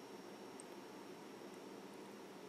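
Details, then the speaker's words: Mid-2007 black MacBook 2.16GHz after cleaning and repairing the fan (previously buzzing horribly), booting up: only a faint steady hiss, no fan buzz; fan now running quietly. "pretty good and I don't hear the fan that's"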